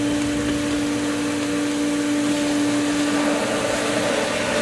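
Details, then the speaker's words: Pool pump at season opening, west skimmer valve (shortest run) opened slightly after winterizing left the lines full of air. Steady hum with strong whine ("wee-woos") and rising gurgling hiss; pump still primed but ingesting lots of air, expected to recatch. "Now again, listen to the wee-woos in the pump. It should, it has prime, but there's just so much air now."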